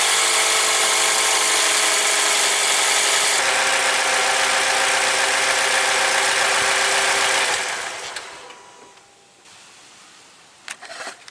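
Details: 2015 Lexus NX200t, 2.0L turbo engine, just after an oil change with about 5.2 quarts of fresh oil: smooth, even idle with a steady note and no knocks, ticks or rattles before winding down; healthy normal idle.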